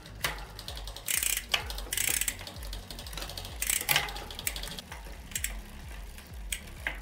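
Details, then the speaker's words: Bicycle rear derailleur being adjusted, jockey pulley centred on the last sprocket with the limit screw; freewheel ticking with chain chatter and scraping until rubbing stops; rear derailleur chain rubbing. "il cambio fine corsa può andar bene quando non si sente più rumore di strofinamento ok quando il cambio sentiamo che non fa più rumori strani si può passare all'inizio corso"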